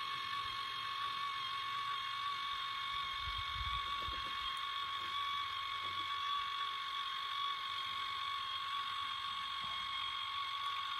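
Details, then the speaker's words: 2017 Heatmaster SS G100S outdoor wood boiler switched off, before damper cleaning and ATF lubrication against sticking. The front damper actuator drives back to 0% with a quiet, steady gear-motor whine and faint ratcheting; working normally. "Maybe I'll turn it off. You can see it. Going back to 0% when you shut her off."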